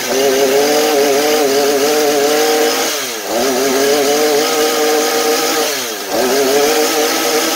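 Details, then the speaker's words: Husqvarna 435 chainsaw at high revs after old bad fuel was replaced with fresh mixed fuel; steady high buzz dipping cleanly twice and recovering at once — now holds idle and revs normally at high speed, fault was the fuel. "Nó duy trì trạng thái chạy không tải và vòng tua máy hoạt động bình thường ở tốc độ cao."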